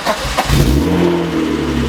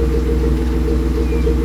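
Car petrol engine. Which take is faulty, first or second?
first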